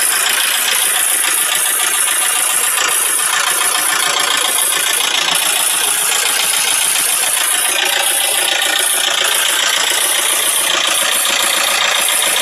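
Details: Isuzu 4JG2 diesel running with a fast, uneven metallic rattle about three or four times a second; valves striking the pistons.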